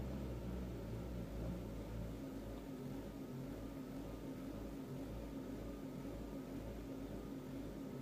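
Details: 2002 Mazda Protege5 2.0L after new plugs and wires: idle is calmer but still rough, with an uneven lumpy pulse about twice a second and hard jerking while driving. Code reader shows mass airflow; owner unsure that fixes it.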